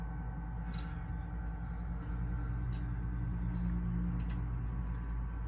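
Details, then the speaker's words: New Nexgrill Oakford 1400 vertical pellet smoker, priming auger (runs about 30 seconds, pressed until pellets drop) before initial burn-off: low steady motor drone with faint uneven churn, no binding or grinding; normal. "it'll run for like 30 seconds you just see it yep keep pressing it until you start hearing pellets drop"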